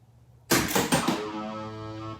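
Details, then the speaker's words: Nitro Ground Shaker pinball, in storage since about 1981, first power-up after a CPU replacement with no other work done. A sharp crash, then steady electronic tones: the sound card works, score displays and GI lights good. "i don't believe it every one of the score displays is good the sound card works the gi looks good"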